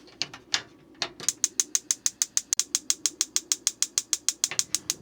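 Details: RV galley propane stove after the propane hose was reinstalled: sharp, even igniter ticking about three per second with no flame yet while air purges from the line.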